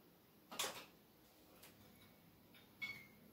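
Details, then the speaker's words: Newly ceiling-installed 4×18W ferromagnetic fluorescent fitting, louvre fitted: two sharp starter clicks with a brief ring, then a quiet hum; normal startup, tubes working fine. "Waouh, le bruit que ça fait. Mais voilà, hein. Les tubes sont vraiment corrects pour l'instant."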